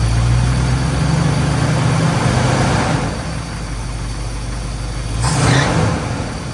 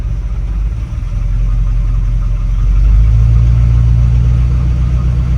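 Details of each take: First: 1981 Dodge Ram 350 with Edelbrock 600 CFM carburetor, idling smoothly with a low, steady V8 rumble and no misses after the idle circuit was blown out with compressed air and mixture screws reset to half a turn. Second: 1981 Dodge Ram 350 V8 with Edelbrock 600 CFM carburetor: low uneven loping idle, running really lean on one side, smoothing above the idle circuit; clogged idle circuit suspected, cleared by blowing compressed air through it.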